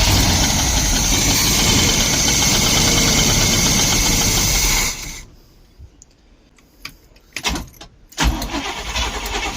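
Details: 1972 Barth motorhome, gasoline engine unrun for 15 years, restart attempt after battery reconnected; about five seconds of steady running then abrupt cutout to near silence with scattered clicks; engine caught briefly and stalled; fuel filter leaking.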